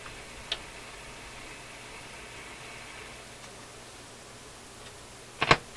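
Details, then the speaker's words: Nordmende console tube radio on shortwave band 1 using only the built-in loop antenna: a faint, even hiss with no stations across the band, plus clicks from the controls; suspected no local oscillator, not confirmed. "Wow, we're going to need an antenna for this to work. This built-in loop antenna will only work on the AM side. I think that's the guy right there. Sounds like no local oscillator to me."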